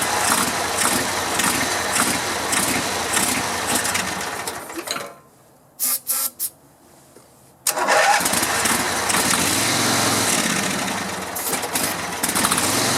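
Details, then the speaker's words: 16 hp Vanguard V-twin on a Grasshopper zero-turn mower after a no-spark fix and cleaned carb and tank: fires, stops briefly, then runs evenly with no misses while fogging oil burns off; healthy. "Boy, that's a smooth running engine."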